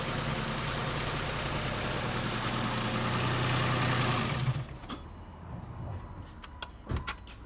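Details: 56-plate Nissan Pathfinder 4.0 V6 misfiring at idle: a lumpy, uneven beat for a few seconds, then shut off; plan is to check coil packs, change the faulty coil, fit a lambda sensor and service it.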